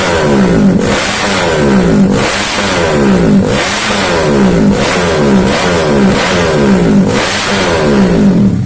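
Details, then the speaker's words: SND ZS190 engine, after replacing a snapped exhaust clamp, not at full throttle: repeated quick throttle blips climbing cleanly and dropping smoothly without popping or misfire; healthy single revving freely. "Oke, itu ya suaranya belum pol. Sekarang kita coba langsung di jalanan."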